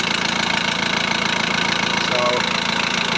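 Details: VW Transporter T4 1.9 TD after replacing worn cam followers: steady, even diesel idle at about four beats a second, no rattle or tapping on top; healthy, rattle cured.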